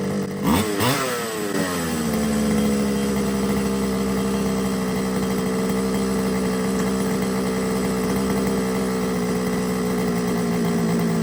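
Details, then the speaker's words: Losi 5iveT RC car, a used job-lot buy: after a quick rev the idle sits too high and slowly climbs and drops, so it is hunting; the carb is thought to need removing and cleaning. "but you could hear it hunting at the was climbing then dropping so I think the carbs going to have to come off"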